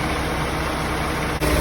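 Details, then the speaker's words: 1991 Honda Prelude, 44,000 miles, after an AC compressor seal replacement, vacuum held 24 hours and the system being recharged: steady idle, then a soft dip and a fuller note as the compressor clutch engages and runs smoothly; normal operation. "Clutch is engaged. That's now stopped."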